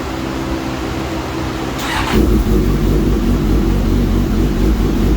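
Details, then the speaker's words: Suzuki GSX-S 1000 with aftermarket header after ECU flash, air-fuel ratio dialed in, rev limiter raised to 12,500 rpm: steady, even idle with a firm low rumble and no hunting or surging; normal idle. "Hear the idle way better."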